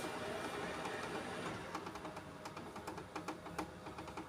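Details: Ricoh Aficio SP C430DN colour printer printing after a fix for not printing colour; soft drive hum then quick regular clicks as paper feeds, output in full colour. Normal printing.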